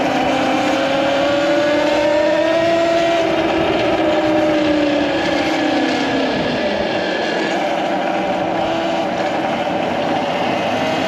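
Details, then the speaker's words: MX5 electric motorcycle being ridden with groceries: rough gritty grinding under a motor whine rising and falling with speed, over road and wind rush; rider finds the grinding noise not ideal, cause not stated. "yeah I literally cringe every time I hear that grinding noise not very ideal at all"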